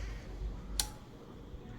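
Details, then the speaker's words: Sony STR-KM55 receiver with no sound and the output-section collector supply missing: one sharp relay click over a quiet background as the supply switches on and off by itself. "Relay की आवाज़ आप सुन सकते हैं।"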